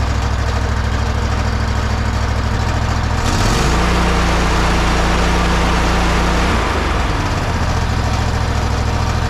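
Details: Toro zero-turn mower, after replacing the old clutch: engine runs at a steady low idle, briefly dips in pitch mid-clip and recovers, even firing beat; normal idle.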